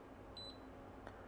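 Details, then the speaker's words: Kaiweets KM601 multimeter in continuity mode, probing a phone board: one short, clean high beep of about a tenth of a second, confirming a pin is shorted to ground. "on a fluke I'll get a solid beep this whole time on this one I get a short beep so basically anything that's not ol will will beep"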